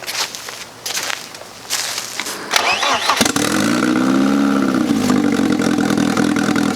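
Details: 1995 BMW E36 318ti with eBay turbo kit, restart after installing coolant lines, oil feed and fuel pressure regulator: cranking stutters, then catches and settles into an even, steady idle without misfire or knock; normal start and idle.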